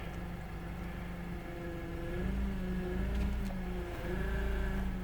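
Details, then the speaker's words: Engine running, cold weather: whine and growl rising as the steering wheel is turned, with a surge in rpm each turn; power steering pump suspected, fluid to be topped up, not confirmed. "I got a surge of acceleration when I turn my steering wheel and you can hear the whine and growl"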